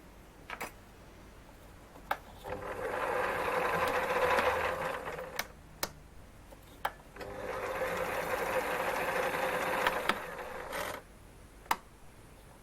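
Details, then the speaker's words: Lathe that had started screaming, now back together after a motor check (plenty of brush, clean commutator) and drive belt tensioning: two even runs of a light, steady whirr, spinning up and stopping cleanly, normal running. "so well i'm back in business again"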